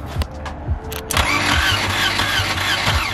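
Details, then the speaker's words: 1978 Volvo 242, not run for about two years, battery out-of-place, no fluids initially: slow even cranking about three compressions a second, compression sounds healthy, but no cylinder catches; cranks but no start, spark then seen. "It has compression. It definitely does. Sounds good, actually. It sounds healthy. It's not. It's a little slow."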